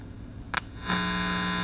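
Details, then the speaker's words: Zenith G500 Trans-Oceanic shortwave tube radio during restoration, power-up as it warms to about 16 W draw: brief crackle, then a steady low hum of about 180 Hz but no station received. "check it out at least i gotta hum it's better than nothing right"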